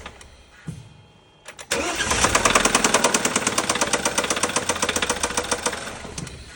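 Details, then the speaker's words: BMW N20 B20 petrol engine starting and settling into a loud, sharp, steady connecting rod knock from deep in the block. "N 20 B20 слушаем звук стучащего шатуна."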